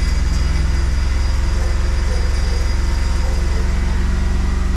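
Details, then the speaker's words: 1994 Monza GLS, petrol engine idling after 19 years stored, hard starting with suspected electrical fault (battery, points or starter): light regular buzzing rattle from a loose exhaust riding on the pulses. "Então pega não pega 70 e nada daqui a pouco você vem aqui vida de na hora ele pega tá vendo e esse barulhinho pessoal é o escapamento tá"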